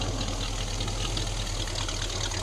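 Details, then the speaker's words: 1936 Ford truck on a Chevy S10 frame with a small V8, fired up: deep, even exhaust burble at steady idle with no knocks or misses; engine runs healthy, normal idle. "let's see if it'll fire up give her just a little hat oh yeah baby she sounding good hear them"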